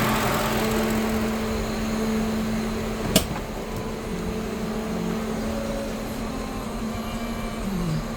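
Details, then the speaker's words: Lincoln Town Car after replacing the 19-year-old worn-out electric radiator fan motor, engine warmed up, thermostat open and temperature holding at normal: steady even whoosh of the new fan with faint hum, no rattle or scraping, running normally. "Boy, it's good to hear that fan going. Yeah, I haven't heard that for a while, guys."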